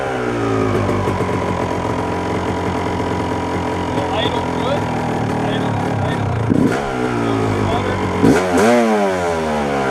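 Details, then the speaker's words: 1997 Yamaha YZ250 two-stroke, 10–15 minutes warmed up: stumbling, surging erratic idle that won't hold without throttle, sputtering when pulling off in gear; owner suspects crank seal, unconfirmed. "holding that throttle the second I'm starting to get on that gas. But even before I disengage the the the clutch to start going start sputtering wh it'll start up first kick."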